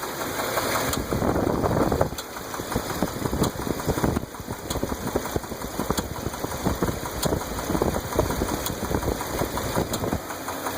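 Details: 2001 Dodge Ram 8.0L V10 at idle: sharp steady tick and heavier knock, traced by stethoscope to the passenger side, where a broken rocker arm bolt frees the pushrod, a known problem on these engines.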